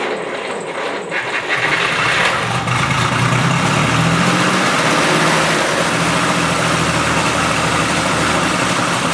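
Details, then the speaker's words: 1937 Chrysler Royal Imperial barn find, flathead six, single-barrel carb, after sitting about 40 years, restarted after adjusting points and distributor timing: steady, even low rumble settling into smooth idle, no knocks or misses. "all right so we got the car to idle [Applause] it's idling nicely"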